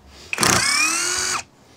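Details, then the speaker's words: Impact driver (wkrętarka udarowa) driving a screw into a hole, heard as a short burst of high-pitched whirring with a fast, even hammer rattle; normal impact driver operation. "Dobra teraz zastosujemy sobie wkrętarkę udarową tutaj prostu tylko zapinamy i kolejna dziura"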